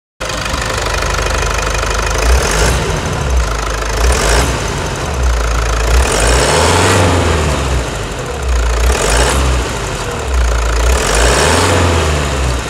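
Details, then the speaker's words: Toyota Hilux 3.0 diesel after engine decarbonization service and turbo repair (turbo had been whistling), scanner connected: deep, even idle with steady light clatter and gentle swells; normal, healthy diesel idle. "Aí está a melodia do motor Toyota 3.0, moçada. Sensacional, né?"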